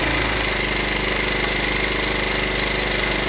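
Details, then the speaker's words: New Champion 2000 W inverter generator idling unloaded in economy mode: a fast, even chatter with a faint high inverter whine, steady and fairly quiet. Normal idle. "So far it's running pretty good. Pretty quiet. I mean, I can't run this one and you can't even be in here. It's so loud."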